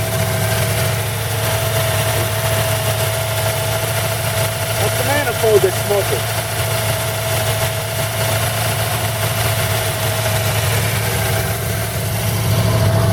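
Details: 1940 Buick straight-eight, first start in 30 years after a valve job (rings good on leak-down), idle being adjusted down from high (rusted idle cam): even, steady idle, smooth low hum, no knocks or misses; healthy, oil smoking off manifold.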